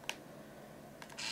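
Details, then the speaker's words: Point-and-shoot digital camera, roughly 17 years old, AA powered, switched on: beep, click, then loud high steady whirring as the lens extends, camera still works; noisy lens motor. "camera power's on Wow noisy lens you hear that but appears to be working"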